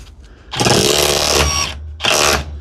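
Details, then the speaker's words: Previously repaired SDS drill in chisel (third) setting, tested with a radiator-agitator SDS attachment instead of a concrete block; rapid, even hammer clicking in two bursts with a steady rhythm and no grinding or slipping. Healthy hammer action. "But you can hear the hammer clicking then, because this one's actually been fixed by me some time ago, and you can hear the vibration of the third setting, the chisel setting."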